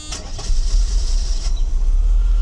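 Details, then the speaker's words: Mercedes W126 300SEL M103 engine, after refurbished fuel distributor and engine reinstall, temperature about 80 degrees: starts on first turn and settles into a low, even idle with no misses; runs smoothly, healthy. "It starts right up with one turn. It fires up as soon as it heats. Runs very smoothly. So this M103 engine has no issues."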